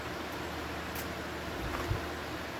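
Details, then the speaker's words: Stand fan, not cleaned or serviced but working fine: soft, steady rush of air over a faint low hum, with no ticking, rubbing or wobble; it runs smoothly and quietly. "So, I'm fired this up. This one is kind of quiet."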